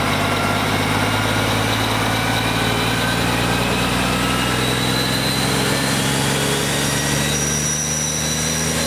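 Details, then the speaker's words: BUCKETMOUTH forestry mulcher/stump grinder, 1.2 m wide, 1.7 m high drum over 6 tonnes, spinning up to motor idle speed at startup; heavy diesel drone with steady, even drum hum, no knocks or rubbing; runs smoothly. "Through this process, the drum will start up to idle speed of the motor, which it is just achieving now, and then you'll hear it go through its second phase, the full revolution."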